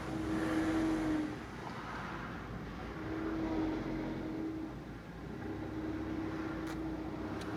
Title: cmax whining noise when pulling away